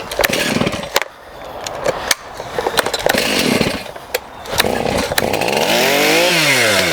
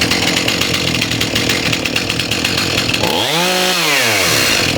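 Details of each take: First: STIHL MS291 chainsaw with adjustable carburetor and restricted screws, running lean likely since new: revs come in uneven bursts and sag toward dying unless the throttle is feathered; lean idle mixture causing stalling, risk of scoring. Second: Stihl MS291 chainsaw after carb adjustment, mixture screws about 1.5 turns out, fixing lean running, poor idle and stalling: quick start, then a crisp steady idle on its own and a clean throttle blip.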